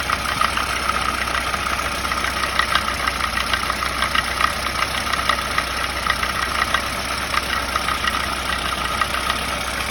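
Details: VAZ 2107 engine at idle: steady idle carries a sharp, regular light ticking-knock several times a second that never lets up; engine knocking.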